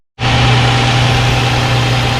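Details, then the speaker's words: Infiniti G35 after knock sensor, harness, camshaft sensor and valve cover replacement for P0327, battery disconnected, fuel primed before start: catches and settles into a smooth, even idle with no knocks or misses. "and my God you guys she's running like a bird oh my God she sounds so good now"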